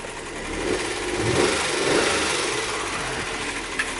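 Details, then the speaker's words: 2002 Nissan Maxima with misfire codes, idling: uneven, clattery, diesel-like beat from an engine misfire; smooths out once RPM rises to around 1,000. "engine sounds like a diesel all right let's look at some data see if we have a misfire"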